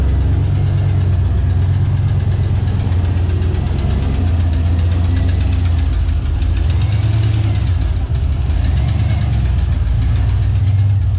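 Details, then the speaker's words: GM truck aluminum 5.3 V8 idling cold: deep steady drone with a faint hollow knock underneath, piston slap, normal when cold. "hear that uh piston slab there that's normal when she's cold so aluminum five three problems"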